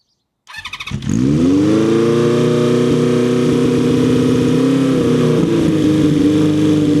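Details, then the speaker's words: Motorbike's first start of spring after winter storage, cold, in neutral, choke on, fuel on and float bowls tapped: short crank, catches within a second into steady fast choke idle that settles slightly; healthy cold start. "Obviously checked it was in neutral first, and that should get some nice oil to the top end of the engine. Then I'm going to come down here, put the choke on."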